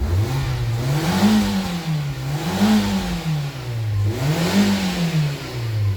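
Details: Nissan Y12 Wingroad after full engine service (throttle body, airflow sensor, EGR valve, housing and tubing, VVT and filter, 4 injectors, intake valves cleaned; new Denso fitted); three quick blips from idle rising and falling cleanly, steady idle between; normal revving, check light still to scan.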